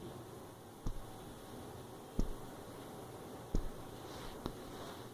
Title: Nexus 6p - Rattling sound near Camera